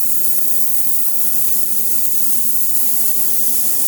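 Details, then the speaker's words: Ultrasonic cleaning tank for fire-damaged contents, turned up: constant fizzing hiss over steady low buzz, no sputter or dropouts; cavitating normally. "So we'll take them over here to our ultrasonic. We'll make sure we turn them up a little bit and you'll see that it will start vibrating. You'll hear that noise."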